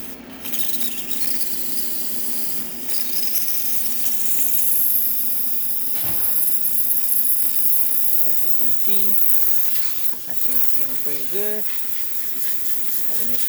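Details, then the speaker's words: Breville espresso machine after full professional tune-up: strong steady high steam-wand hiss with faint water pump pulsing underneath; excellent steam pressure and temperature, normal. "excellent pressure coming out of the steam one, really good temperature. Now the water pump is pulsating. You can hear how the steam is coming out of the one and how much pressure it has as well."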